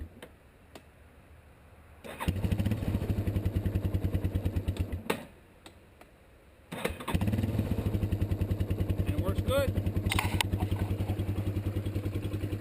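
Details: 1987 Yamaha Warrior 350 ATV after starter replacement: brisk even cranking catches within seconds, stops, then restarts cleanly and settles into steady idle thump; starter engages properly.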